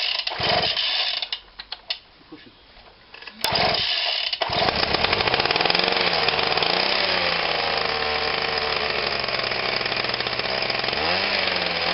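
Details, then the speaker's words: Atlas Copco Cobra TT petrol breaker after throttle cable replacement, cold start: clicks and handling, then small two-stroke engine buzzes up to a high, wavering speed; running too fast, throttle needs adjusting. "sounds like we finally got home on out but it sounds like it's very fast of what it is"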